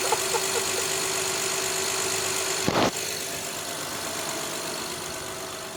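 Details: 2011–2017 Honda Odyssey, first start after a timing belt kit replacement: steady, even idle with a smooth high whir and one brief thump, settling into a calm regular run with no knock.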